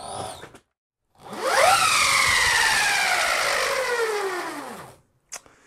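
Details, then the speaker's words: Go-kart motor on a VESC controller switched from FOC to BLDC mode: loud whine climbs sharply in pitch as the motor spins up, then sags and fades; BLDC mode is noisier but starts better, though torque is still lacking. "So you can hear the motor whines more in BLDC mode."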